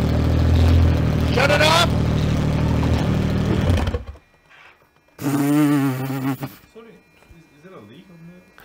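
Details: Freshly refreshed N55 engine in a 2011 BMW E90 335xi with upgraded turbo and 8HP45 transmission, first start: deep steady idle then a short blip, smooth with no tapping or knock; normal idle.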